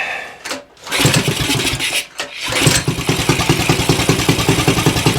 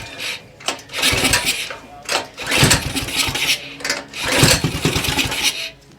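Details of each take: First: Axis M200 196cc mini bike (Coleman CT200U-EX clone), bought non-running, first start after carb cleaning, run on choke without air filter: catches after a couple of cranks, then a steady, even single-cylinder idle with a very loud exhaust bark. No fuel leaks; air leaks thought unlikely. Kill wire not working. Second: Non-running Axis M200 196cc mini bike (a Coleman CT200U-EX clone), throttle slightly open with carb spray in the intake: it pops and catches briefly on the spray, then dies, pointing to a clogged carburetor.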